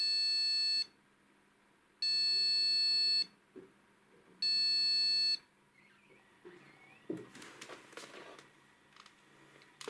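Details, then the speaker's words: Gigabyte GA-H110-D3A motherboard constantly rebooting with black screen: PC speaker gives three long evenly spaced high beeps, a memory fault; solved by replacing the RAM. "Вот собственно В чём была причина долгая короче прыгал пока спикер не Вставил в итоге оказалось что вся причина у нас в оперативке"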